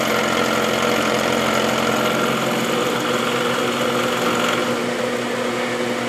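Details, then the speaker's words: Milling a replacement half nut for a Hamilton 6" lathe: a sharp cutter in soft material at about 50 per pass. A steady cutting hum with a fast, regular tooth rhythm and no chatter or squeal. A smooth cut. "this is a good sharp cutter I could probably take 100 at a time if I really wanted to but this is good I'm getting a nice smooth cut so I'd rather take my time and do a few passes rather than push it"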